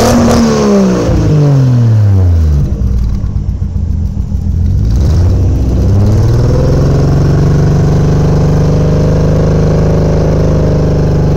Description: Any ideas why my 1jz misfiring? Almost sounds like a subaru